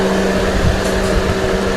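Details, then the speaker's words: 2015 Mercedes-Benz GLK with the AC on and the hood open. A steady, loud, airplane-like rushing roar with a constant hum, audible even with just the door open. The customer complained the radiator cooling fan keeps running too high. Fan running too fast. "even if I go out of the car just opening the door I can hear loud noise so I'm just gonna go into the hood and see yeah it sounds like airplane"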